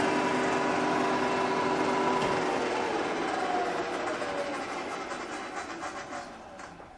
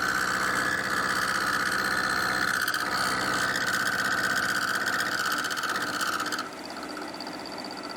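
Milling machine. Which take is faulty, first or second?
first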